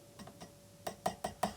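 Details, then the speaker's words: Phase-inverter tube from a 1993-design Fender Vibro-King amp, tapped before power-on: light glassy ticks in quick bursts with a ringing ping, loose rattling internals; suspected to be microphonic. "I can tell that one's already that one's very rattly I don't know if you can hear that nice nice nice that's got a bit of a ping in it already so I suspect that one's going to be microphonic before I've ever turned it on"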